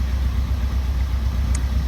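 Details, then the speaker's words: Fiat 500 Pop diesel with a replacement engine, after 50 minutes running: deep, steady idle held slightly high during its third DPF regeneration. White smoke is now much less than the earlier plumes; raised idle during regen. "same thing happened but it didn't seem to be as bad you can hear it now it's slightly rev it's actually on its third region"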